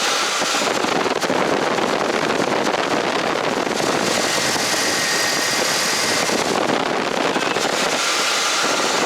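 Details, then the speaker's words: 1976 GMC Motorhome idling after installing belt tensioners: steady rushing idle with air pump audible, no belt squeal, even after the AC compressor kicks in. "I'm gonna go start it up and see if it squeals. All right, moment of truth. Start it up. There's the air pump. Alright, no noise."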